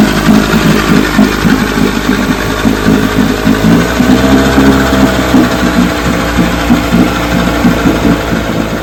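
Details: JB's $5 vintage outboard, after three days of carb, spark and gear case work, running after starting in neutral: a steady, even two-stroke burble with a fast, regular pulse and no misses or knocks; running cleanly.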